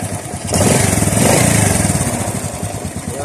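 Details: Honda RS 125 single-cylinder on a cold start after replacing the cam chain tensioner: even beat that picks up cleanly on the throttle, with the earlier engine ticking gone. Normal cold start and revving.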